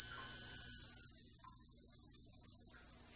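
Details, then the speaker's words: Sony Walkman WM-EX102 cassette player opened up, power on: the tiny tape motor's dry bearing gives a thin, steady high squeal. WD-40 quiets it, though it is a solvent rather than a lubricant. "everything squeaks so good old wd-40 there we go so much nicer"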